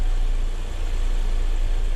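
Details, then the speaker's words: Toyota Corolla petrol engine idles with a smooth, steady low rumble and no whine or grinding after both alternator bearings, one seizing and one growling, were replaced; the earlier noise is gone. "barulho acabou aquele barulho"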